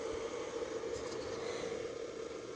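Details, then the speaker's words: Jetstream JT Mini 15 12 V 15 A power supply after its noisy failed cooling fan was swapped for a salvaged fan: soft steady airflow hiss with a faint constant hum, no rattle or bearing growl; normal fan. "got it all back together let's see what it sounds like oh yeah it's not a nice little breeze"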